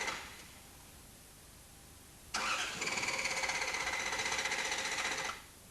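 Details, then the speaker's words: Toyota TCCS engine with a shorted airflow meter supply circuit: steady starter cranking for about three seconds but no combustion. Check engine light stays off at ignition on and no diagnostic codes show in normal or test modes. "One, the check engine warning light does not go on when the ignition is switched on. Two, although the engine cranks, there is no combustion."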